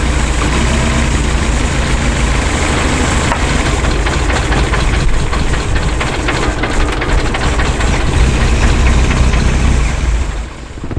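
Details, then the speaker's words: Lotus Esprit with Dellorto carburettors: deep, lumpy idle with an uneven beat about three per second, nearly dying when one carb's plug leads are pulled; rough idle, one carburettor doing all the work, carbs unbalanced. "this one's not even idling on it when we took off these the engine nearly died yeah because this carburetor is doing all the work and this one is doing nothing"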